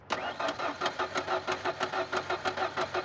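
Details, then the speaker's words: Ford Ranger abandoned and sitting about 14–15 years, cranking: steady starter churning at about three compression beats a second, never fires. Coil packs have power but no ground signal, so ECM isn't triggering coils; owner suspects a bad sensor or broken wire. "So, we're not getting any ground signal. So, the EC the ECM is not telling the coil packs to turn on and fire."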